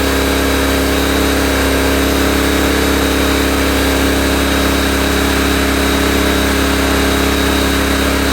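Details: Honda EB1400X generator, carb believed never removed, restarted on choke: steady, even drone at constant speed with no misses, surges or knocks while warming up; engine runs good.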